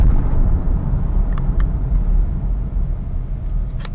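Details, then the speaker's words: 2014 Jeep Grand Cherokee at highway speed after fixing the dry-rotted windshield cowl seal with $6 silicone weather stripping: steady low road and wind rumble with no buzz or rattle, where the buzz would normally have started; no cowl buzz. "at this speed it would have been happening already and so there you have it guys no rattling noise for a six dollar"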